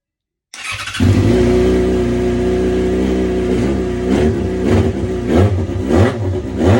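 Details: 2011 Yamaha FZ6R after fuel pump replacement for no-prime problem: engine catches after a brief crank, settles to an even idle, then several clean throttle blips; runs smoothly, no misfire, fault solved.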